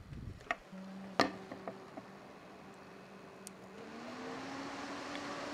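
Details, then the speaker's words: Enermax Liqtech 120X AIO CPU cooler, fans on the medium setting at about 2,000 RPM: soft airy rush with a low hum that climbs in pitch and settles. High airflow; normal. "it's on its medium setting so it's um now at 2,000 RPMs has a really high air flow as you can here"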